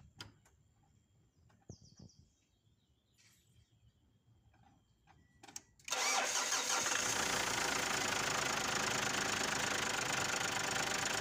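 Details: 2008 Ford Ranger diesel started after replacing the timing belt, idler pulley and tensioner: fires after a few quiet seconds and settles into a steady, even idle with no ticking.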